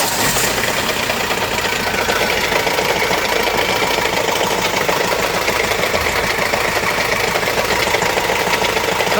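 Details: Renault Master diesel with gear-driven lower timing and belt-driven upper timing, towed in: busy, uneven metallic rattle from deep inside the engine, caused by damaged timing gears rather than a failed belt.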